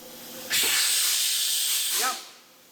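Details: Kenworth K100 cabover with CAT 3406B, first run after 25 years parked: loud, sharp blast of air for about 1.5 seconds as the brake pedal goes down, then bleeds off; air brakes applying normally.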